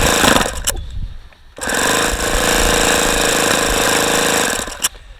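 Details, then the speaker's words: ASP FS65 model engine, OS F plug, 5% nitro fuel, APC 12x6 prop, very cold day (14°F air, case 36–42°F), primed: uneven bursts of cranking and exhaust popping that never settle; won't start, cause not confirmed. "got some very strange sounds coming out of the exhaust sounds like it's wanting to fire but it just isn't"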